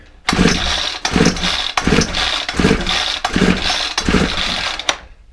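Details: Ryobi four-stroke trimmer, free pickup, on a freezing cold morning, primed and choked: pull-starter bursts roughly every three-quarters of a second with no catch or firing; turns over but won't start.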